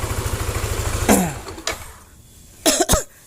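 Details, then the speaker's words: Yamaha NMAX that arrived with a rough noise at the front of the engine, after repair of the camshaft bearing: an even low putter with no knock or rattle, then shut-off. It now sounds normal. "Oke hasilnya seperti ini nah hasilnya sudah mending daripada suara yang awal mula tadi"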